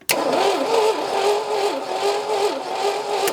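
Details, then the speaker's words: AMC Rebel SST sitting 35 years since 1989, cranking with coil hot-wired from the battery; uneven loping starter whir about 2.5 beats per second never catches; no spark, and the owner says the engine seems to have zero compression. "Well, it doesn't help that the engine has zero compression too. I don't know if you noticed that or not. It doesn't sound very good."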